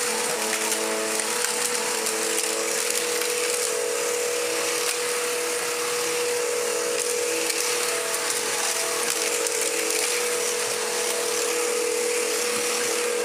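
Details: Dirt Devil DD6114 upright vacuum (Electrolux Contour clone), mid-1990s budget model, after restoration, running on low setting: steady even motor hum with mid tone and airy rush, no surging or scraping; works fine but mediocre.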